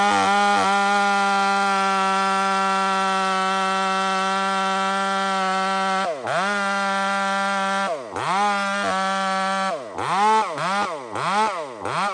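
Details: Stock chainsaw with aftermarket muffler fitted, cutting; screams at a steady high pitch, then bogs and recovers in repeated dips, sluggish pickup; running fat, over-rich mixture.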